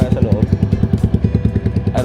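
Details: Yamaha R15 V2 single-cylinder idling with the stock air filter cover refitted in place of the modded one: even idle at about nine pulses a second, steady and not harsh through the intake; sounds healthy.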